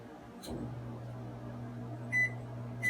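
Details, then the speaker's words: Sole elliptical after replacing handlebar incline/resistance button membrane, wiring flipped to fix reversed direction: two crisp high console beeps about 0.7 s apart over steady low incline motor hum; incline responds about half a second later, working normally. "every time you here are people in the council half a second later you should get a response on the incline"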